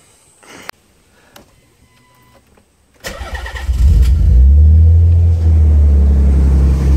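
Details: Nissan 300ZX Z32 Fairlady cold start before its first test drive, after centre bearing repair and a new custom exhaust; catches quickly and settles into a deep, even idle with no misses or ticks, sounds healthy.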